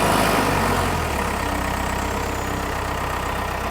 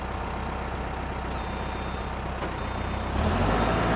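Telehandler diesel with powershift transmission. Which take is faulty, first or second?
second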